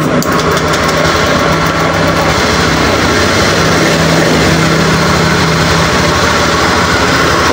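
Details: Honda Scoopy eSP scooter, complaint: stutters and won't ride when cold. Steady, smooth idle with an even low hum and no knocks, stumbles or surges, and the throttle is responsive. The cause was later found to be a clogged injector filter.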